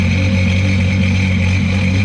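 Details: 2005 Sea-Doo RXT, modded supercharged 4-Tec Rotax 215HP engine, running on the hose after winter storage: steady even engine note with a constant hiss and higher tone, runs cleanly with no knock or misfire.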